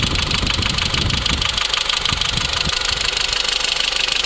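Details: Renault Megane 2 1.4 16-valve petrol engine at idle: fast, even ticking about three per second from noisy hydraulic lifters, later fixed.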